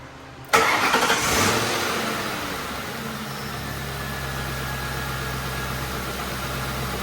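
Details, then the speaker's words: Grand Marquis engine after replacing the serpentine belt, tensioner and idler pulley: catches and settles into a smooth, even idle with no belt squeal or chirp; previously squeaked and the tensioner bounced. "Sounding pretty good. Let's turn on the AC, because if the AC makes it start doing it again, I might have to do something with the AC on this car. No squeaks."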